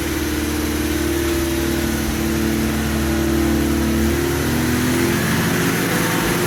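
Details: MGB GT, first run after about 12 months untouched in oil-coated storage: runs on choke with a steady, even drone and slight rev drift, no knocks or misses; normal running.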